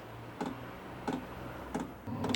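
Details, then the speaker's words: New HCALORY HBH2 5L 8kW diesel parking heater on first start, on 240 volts: sharp evenly spaced ticks about every two-thirds of a second as the dosing pump primes and purges air, normal before the burner fires up. "This hasn't been ran, so it probably take one or two times to get the oil circulating to get any air out of it before it actually fires up. You can hear the pump clicking there."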